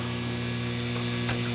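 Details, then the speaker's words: AC contactor whose coil is energized with 24 V: 248 V comes in but 0 V goes out, and the fan won't turn. A steady low buzz from the contactor; the coil pulls in but the contacts pass no power, so the contactor is faulty. "We're getting 24 volts. You heard the buzzing noise. It's not feeding voltage up above it. So this is bad."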